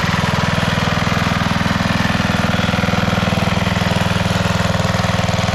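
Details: 1991 MTD 12/38 riding mower after a rattle-can restoration, basically finished: it starts, moves and mows. The single-cylinder engine idles at a steady, even beat of around two pulses a second with no misses or knocks. Normal idle.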